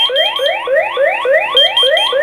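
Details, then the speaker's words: X-Sense WiFi water leak detector base station, sensor placed in water: loud electronic siren sweeping upward about three times a second, signalling water detected. "If you're not where you can hear this beeping thing, you'll definitely hear the siren on"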